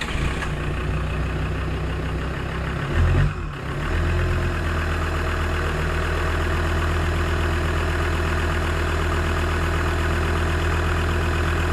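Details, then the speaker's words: Land Rover Discovery 2 Td5 diesel starting after a fuel filter change, with the key cycled three times to prime and no leaks. It cranks briefly, catches at about three seconds, then idles steadily with a smooth low thrum. Normal start and idle. "uh so i turned it i cycled the key three times fire up no bar happy days"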